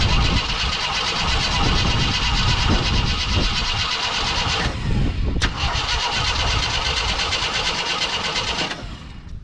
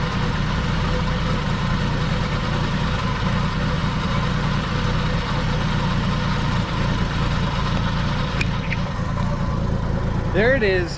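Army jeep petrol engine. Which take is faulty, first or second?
first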